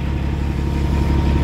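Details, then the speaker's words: Brand-new Caterpillar 3406E diesel in a 2000 Peterbilt 379 with a Super 10 transmission, revving: a deep, even rumble building slightly in volume with no knocks or misses; a healthy, strong engine. "I'm gonna fire it up and we're gonna let you hear that hear that nice Caterpillar sound brand spanking new man"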